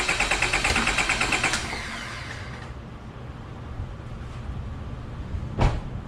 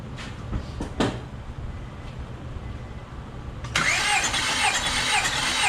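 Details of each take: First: Car cranked to empty the fuel rail before a compression test: fast, steady cranking at about three beats a second, never catches, then falls quiet; crank, no start, no fuel. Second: Car cranking during a compression test, gauge reading 200 on this cylinder, similar to the others: steady, even starter beat, every compression stroke alike, no lazy or skipped pulse; healthy cylinder.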